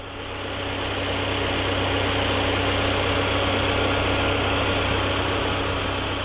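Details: 2006 Alfa Romeo 147 1.6 Twin Spark, 5-speed manual, 200,000 km, at idle: an even rapid ticking, about four per second, over a low drone. Owner suspects the compressor, possibly the timing belt; engine-bay noise not confirmed.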